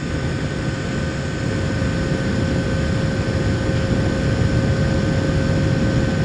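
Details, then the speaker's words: Retro mini-PC cooling fan on a custom PWM fan controller, microphone up close, after new firmware was loaded; steady airy rush with a soft low hum and no high electrical whine; earlier whine came from low PWM frequency. "agora vou aproximar novamente o microfone para vocês verem a diferença no ruído do cooler"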